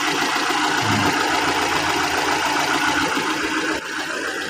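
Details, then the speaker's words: 2002 Kia Visto petrol engine after repair of a broken part and stripped bolt, belts refitted and valves adjusted: smooth, even idle with a steady beat and no tapping, far quieter than when the fault occurred; normal idle. "suara mesinnya sekarang halus ya, mending ya, halus lah, jauh lah selisihnya dibanding waktu terjadi problem masalah asuling patah tersebut ya."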